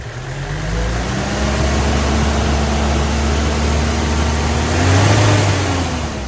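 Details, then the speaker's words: 1987 Toyota AE86 Sprinter Trueno, slight rev after a cold start to reveal hidden engine noise: pulls smoothly from idle into a gentle rev and settles back, clean and even with no knocks or rattles, no exhaust smoke; engine healthy. "All right, let's do a slight little rev just to show any engine noise that might be hidden."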